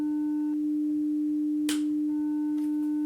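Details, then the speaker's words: 300 Hz test tone on a hardwire Y-split feeding a Behringer Xenyx into a Tascam recorder, with a Behringer X32 switched off on the other leg: tone turns gritty and buzzy in bursts, wave squashed; powered-off console causing distortion. "We hear distortion. Look what happens when I unplug it. This is crazy. This board is off, but it's in line. Unless it's on, it is causing problems for a signal plugged into this board here."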